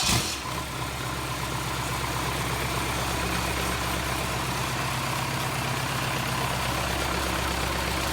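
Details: Cummins 4BT diesel, cooling plumbed through hoses, started after battery charge: catches within a second and settles into a steady, even idle with its usual rattle, no knocks or misses; running normally.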